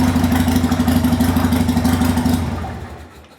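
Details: 1998 Harley-Davidson Sportster, sat over a year, new lithium battery, tank drained, fuel filter cleaned, fresh gas: starts easily into a steady, even, lumpy V-twin beat at a fast idle with no stumbles before shutdown; running normally.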